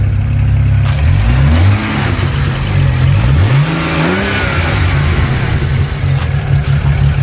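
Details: BMW 335i free-revving right after a cold start, following installation of a VRSF charge pipe, blow-off valve and VRSF cone filters: several quick revs with smooth rising pitch and an airy blow-off release on lift-off, healthy free revving.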